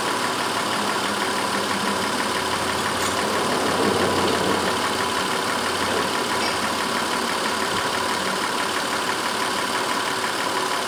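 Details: 2004 Honda Pilot 3.5 V6 after the cylinder 4 misfire was traced: even, steady idle with no stumble or skip throughout, runs smooth as glass.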